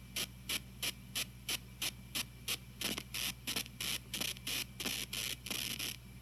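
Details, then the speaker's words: TG-TEK tablet with headphones plugged in while downloading: rhythmic hiss bursts about three per second over low hum in audio output, stopping, sometimes delayed, when download is cancelled. "to see instant I cancel this download the noise stops or so I thought sometimes it stops immediately sometimes it doesn't stop right away"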